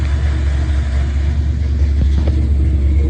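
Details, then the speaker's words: Small-block Chevy 350 V8 from an S10 swap, after fixing low voltage (about 11.4–11.5 V) at the distributor with a new connection: cold start without pumping fuel, deep even rumble, no misses or knocks, runs amazing. "For instance, you come in here, cold start. I don't even have to pump the fuel, and it runs amazing."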